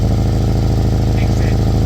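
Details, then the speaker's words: Old Kia Soul idling after rotted exhaust pipe replaced: fast even puffing beat over the exhaust note from a small leak at a bracket; could be fixed with a piece of pipe later. "That bracket there's leaking. We could take it off, get a piece of pipe,"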